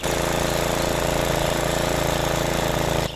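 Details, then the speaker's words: Self-propelled lawn mower after repair of a slipped drive belt (belt refitted, bearings greased, tensioner checked): loud, even engine beat at about four pulses a second, steady without misses; drive works so well the wheels slip, normal running. "смотрите даже колёса буксуют видите насколько хорошее сцепление и весь механизм на данной косилке"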